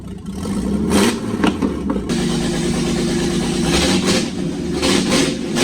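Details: Friend's Jeep with swapped engine, sitting seven years, restarted after new starter, battery connectors and radiator; short crank, clean catch, some throttle blips, then a steady idle, starts and runs normally.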